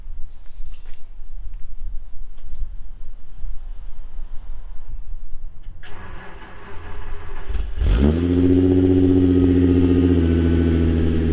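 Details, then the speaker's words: MK3 Jetta GLX 12v VR6 after new spark plugs, plug wires and coil pack to cure a misfire: quick crank and catch, then a smooth, steady idle, much smoother than before. "It sounds so good. It sounds so good. "100% running way smoother than it did before."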